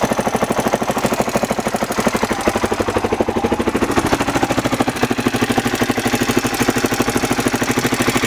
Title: Honda xr600r ticking noise